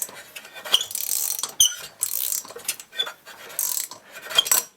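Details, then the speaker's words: Solex moped with a starting problem, small two-stroke hand-cranked: rough scraping, squeaking and binding, tight with compression; suspected bearing. Found out-of-round flywheel, bad cylinder, poor decompression valve and broken fuel pump. "this seems to my starting problem if I try and crank this over with this listen there's lots of binding and scraping does that be a bearing"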